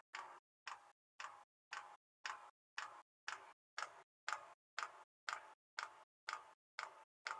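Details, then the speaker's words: Newly installed Thunder Jet diesel air heater on a boat, startup mode, boat engines off: fuel pump ticking evenly about twice a second as fuel moves through the line before ignition; normal. "ure there's no Vapors in the system and here shortly you should hear the pump start up I don't know if you can hear that but you can see the pure going through the line pick up speed"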